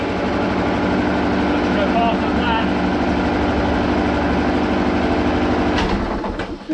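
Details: Hayter 56 Pro mower, previously overfilled with oil, on the fast setting: steady but low, lazy drone that never climbs to full speed; owner suspects the carburetor setting and checks the throttle.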